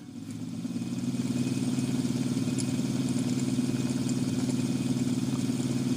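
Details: Sony TC-252D stereo tape deck after lubrication, running with the idler wheels engaged: low rumbling hum pulsing steadily about three times a second. Owner suspects a flat spot or glazed rubber on one or more idler wheels.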